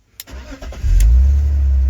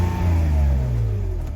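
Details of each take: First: $450 BMW E46 330Ci that was running badly, after vacuum leak repair: fires and idles unevenly and barely responds to throttle, still running rough; fuel pump seemingly not the cause and bad gas possible. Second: BMW E46 330Ci with misfires on cylinders 1, 2, 6 and MAF code, no vacuum leaks, MAF unplugged to run default fuel map: engine revs up and falls back cleanly, smooth even pitch, no stumble; MAF sensor or its wiring suspected faulty.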